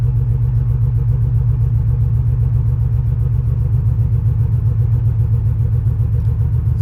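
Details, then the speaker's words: 1991 Chevy Silverado 350 V8 with a dead battery from parasitic draw, started with throttle held open: deep, uneven loping, running rough and won't idle. Suspected header exhaust leak. "I don't think it's going to idle yet. [Music] It's not going to idle."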